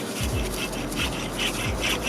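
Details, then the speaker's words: Driver-side wheel bearing from a VW MK7 GTI/R, removed and spun by hand, gives a dry, gritty rasp pulsing each turn as the balls grind inside; replaced with a new bearing. "really hard to hear but the balls are grinding against each other inside of there"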